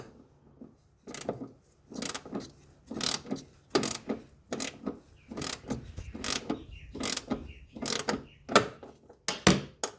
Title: 2016 Toyota Tarago Engine bay noisy